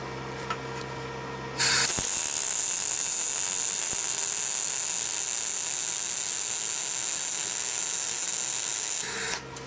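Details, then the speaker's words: MIG welder after its fault was fixed with a roughly 250-ruble part, welding with a steady, even frying hiss for about eight seconds with no sputtering or sticking, though the galvanized metal was not cleaned; the arc is normal. "шпарит как надо так что вся проблема была в такой мелочи за грубо говоря там 250 рублей"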